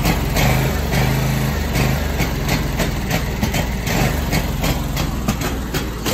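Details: Scag Tiger Cat II mower, first start of the year on a weak battery: uneven, lumpy idle with irregular stumbles and surges, improving slightly as it runs; rough running blamed on the weak battery.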